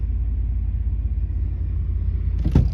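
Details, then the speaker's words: 1993 Cadillac Fleetwood Brougham, sat about a week, starting right up after a new belt tensioner and serpentine belt: deep, steady idle rumble with no ticking, knocking or belt squeal, and smoke from the exhaust. A normal idle. "And that sounded nice and strong. And she started right up with no strange noises."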